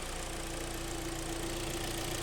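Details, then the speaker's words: 2012 Hyundai ix35, G4KD engine, front-wheel drive, ~130,000 km, after engine rebuild for knocking and scoring (oil cooling jets added), warming to fan switch-on: low, even idle with steady hum, no knock or tick; seems to run very well. "так-то саша как скажет как работает очень очень неплохо вроде работает"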